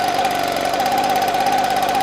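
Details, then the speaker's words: Echo PB265L two-stroke backpack blower, no-start with a clogged air filter, fixed with fresh gas/oil mix: high, steady scream at constant pitch with no surging or sputter; normal running. "cut it back on cold start chokerized oh yeah she's pumping good"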